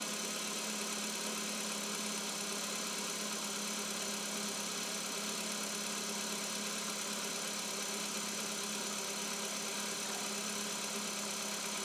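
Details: Cold (not warmed-up) 2021 Chevrolet Cobalt engine at idle: faint, uneven tapping knock under a thin, hissy engine note; source of the engine knock not identified.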